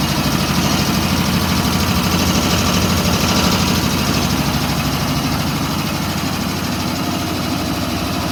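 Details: WW2 Ingersoll-Rand ship service air compressor, built 1943, in the B4 engine room of USS Stewart DE-238: steady, even thump about two and a half beats per second over a low drone, no knocks or misses. Running normally.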